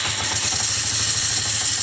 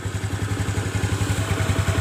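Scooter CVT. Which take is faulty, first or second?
first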